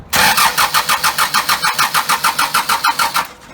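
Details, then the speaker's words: First-ever engine build on custom motor mounts, in neutral, harmonic balancer installed, before fuel is turned on: even starter cranking about three compressions per second for three seconds, no scraping or clunks; checking clearance, normal cranking. "I just want to wing it over and make sure there's no any no clearance issues or anything so let's hear what it sounds like"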